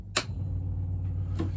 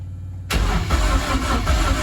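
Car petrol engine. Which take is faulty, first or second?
second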